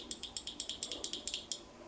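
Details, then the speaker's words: Microwave door micro switch pushed by hand: crisp, sharp clicks about every eighth of a second, contacts snapping cleanly; switch is good, not fused. "hear this clicking I think it's good and I know it's a good switch"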